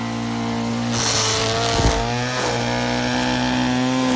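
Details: Old Stihl FS36 two-stroke string trimmer tested outdoors: high, buzzy note holding steady and rising briefly with throttle blips. Picks up cleanly and runs smoothly.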